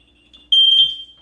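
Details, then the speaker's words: 20-year-old smoke detector under test: a faint thin beep at first, then a jump to the full loud alarm tone; the weak start is unexplained, and all detectors are being replaced. "you hear the beginning okay now now it's loud but in the beginning there was a little faint tone I don't know what's going on with that"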